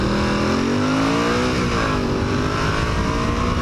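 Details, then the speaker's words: 1981 Honda CX500 on a 54°F November commute, helmet microphone, pulling away from a stop sign. Revs climb, then sag briefly, needing a lot of throttle to get going. Hesitation on acceleration from a stop; better once warmed up. Cause not confirmed. "So here we go off of a stop sign. I got to really rev it up to get it to go."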